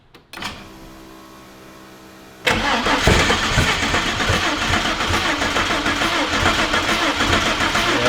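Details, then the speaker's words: Car engine with fuel confirmed present cranks briskly and unevenly for six seconds without firing, puffing smoke; cranks but won't start, compression test planned next, cause not confirmed. "she's not happy yeah all right you want to crank it so we can show just how much all right puff comes out of this imagine if it started"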